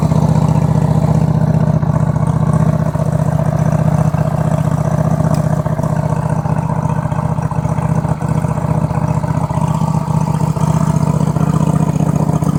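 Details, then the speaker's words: Craftsman truck after a complete fuel system flush, choke pulled, carb and fuel pump dry: steady starter cranking at about three pulses a second that never catches. Extended cranking with a dry fuel system. "Clamps are all back on, and let's fire it up for a second. Better pull the choke. Carb and fuel pump are dry."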